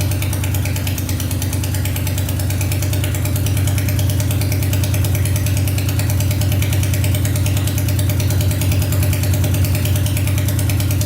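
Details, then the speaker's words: Honda 500cc engine swapped into a tractor, restarted after coolant was added to check for leaks, following a wiring repair: fires up and holds a strong, even, very loud rumble with no misses or knocks; no leaking yet. "No leaking yet. The thing is so loud. Fire's right up though."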